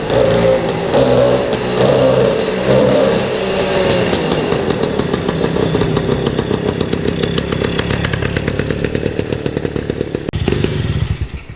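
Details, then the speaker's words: 1953 MV Agusta Pullman 125cc two-stroke single after gear-selector cable adjustment: crackles and pops unevenly as throttle opens, never climbing cleanly in revs before dying away. The engine bogs down, cause unconfirmed; it no longer jumps out of gear. "So hopefully, I'll get that engine running right, because it's bogging down, so I can get some revs in it."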